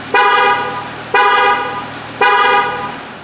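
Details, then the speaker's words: 2018-2020+ Jeep Wrangler JL/Gladiator JT with newly installed Start-X remote start: pressing lock three times gives three short horn chirps about a second apart as the engine shuts off; remote start shutdown working normally. "Now to shut it off, we should be able to press this lock button, the same thing, 3 times."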